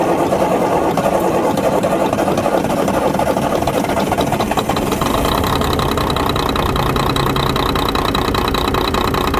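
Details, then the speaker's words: Volvo FH12 truck diesel with an engine knock, idling: uneven, lumpy clatter instead of a smooth steady beat; it runs poorly. "сейчас как-то работает нехорошо Да как-то работает так"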